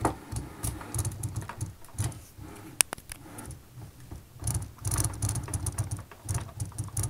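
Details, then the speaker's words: Logitech G27 steering wheel after both motors were shifted toward the big gear by boring out their mounts: no gear knock or play, only light irregular plastic rattles from the loose red buttons as the wheel moves; drive sound. "слышно только как уда эти красные кнопочки гремят"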